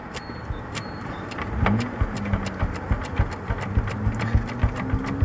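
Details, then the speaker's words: 1992 Volvo 940 GL, B230FB engine, pulling away in first gear: low thumps about three a second under rising engine note, a rotational knocking with clutch judder; owner suspects a badly cracked rubber driveline component. "sometimes i can almost hear like a knocking sound rotational sort of knocking bumping sound pretty sure it's this guy here"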